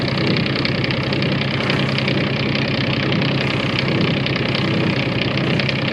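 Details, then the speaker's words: Sailboat diesel at idle with a vibration that has grown steadily worse since purchase, present in neutral and in gear, heard below the helm: loud idle with a coarse rumble and rough shake. A cutlass bearing was suspected. "It happens in neutral and in gear. When you're outside, it sounds like it's happening right below your feet, right at the helm."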